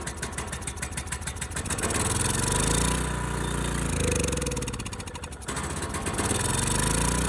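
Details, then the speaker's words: Ridgid generator, Yamaha MZ360 engine, about 10 years old, unused 4 years, first test after rusted carburetor cleaning. It catches on starting fluid and races fast, hunting instead of settling: high idle because the throttle is sticking. Owner also suspects it runs slightly lean. "All right, so I'm not quite sure what's going on. It did run a little fast. This seemed to be stuck, so it's not stuck now."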